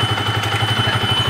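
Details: Yamaha Vixion (old model) idling with thin whistles from the left side of the engine, present when hot but not when cold; water pump seal whistle, blamed on age or plain water or poor coolant in the radiator.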